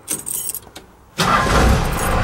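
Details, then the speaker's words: 4BT Cummins with an intermittent starting problem: the engine catches instantly and settles into a steady, even run; normal quick start this time, though the owner is still considering a lift pump and injectors. "starts up like super fast no problem so yeah"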